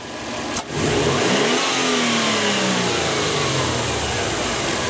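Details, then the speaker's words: Turbo Subaru after cleaning a dirty hot-wire MAF sensor, snap throttle test: idle jumps smoothly, rises and falls back steadily without stumble; initial MAF spike restored, peak 3.2 V; normal snap throttle response. "still only hit 3.2 on the on the peak of that but that initial initial Spike was great"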